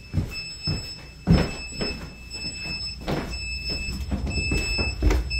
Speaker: can y'all hear that beeping that is the stmp pumps because the power keeps going out and they are operated by electricity